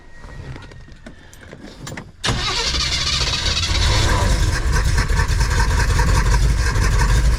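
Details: Van with a new carburetor and redone ignition, cranked again after confirming the fuel filter is full and finding no leaks: steady churning at about four chugs a second, never firing. Owner suspects air in the fuel line, later a vacuum leak; crank-no-start.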